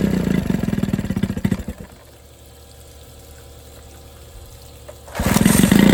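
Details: 1987 Johnson 9.9 long-shaft outboard, cold start on muffs with choke and primer bulb: pull start catches into crisp popping idle, dips quiet briefly, then picks back up steady; healthy start and idle.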